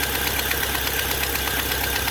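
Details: Fiat Palio Fire 1.0 8v idling: rapid, even ticking over the idle keeping pace with engine speed, sounding like engine knock or valves; burnt exhaust manifold gasket leaking, to be replaced.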